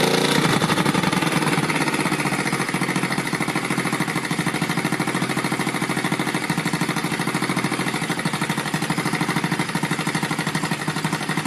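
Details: Rebuilt Yamaha Vega (Crypton) single-cylinder four-stroke with balancer, running on the bench without a frame after a rebored cylinder and a larger carburetor: busy rattly gear clatter over a steady idle beat from the top end; the builder identifies balancer noise.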